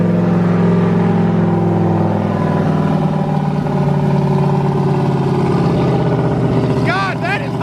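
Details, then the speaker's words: Turbo LS truck engine in a Corvette at first start after a new crank sensor, 67 psi oil pressure: deep V8 let down to a choppy lopey idle, three or four lumps a second. Healthy big-cam idle. "hey turn it down let it really chop"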